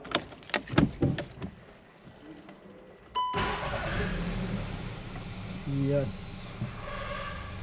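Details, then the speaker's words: 2012 VW Golf Convertible 1.2L gasoline, 100,000 km, after water pump replacement for annoying engine-bay noise and coolant refill; catches at once after key rattle, quiet even idle, no whine, rattle or leak; noise gone. "So I fill up the coolant res and there is no leakage, no harsh noise from the water pump and the car is back on the road."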